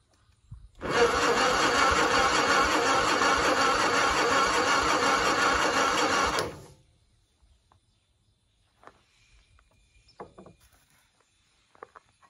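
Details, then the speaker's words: 1960 Onan industrial engine for a homemade Model T replica truck, unstarted for many years: air cleaner off and primed; starter cranks steadily about three turns a second for six seconds, never fires; fuel reaching line, power to coil then checked, plug dry. "fuel pump is starting to pump up we got gas coming into our line not sure if we got any power though"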